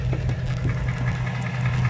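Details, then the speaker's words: 2005 Dodge Ram 1500, 5.7 Hemi V8 running: rapid, regular knocking clearly over a steady idle. Owner suspects a bad bottom-end bearing; others suggested the flexplate. Unconfirmed. "Sounds like the bearing. Sounds like the bearing. The bottom end. Yeah, man, I think it's the bearing. I definitely think the bearing's bad on this."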